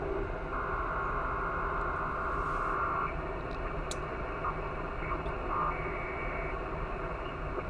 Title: Switch Mode Power Supply Noise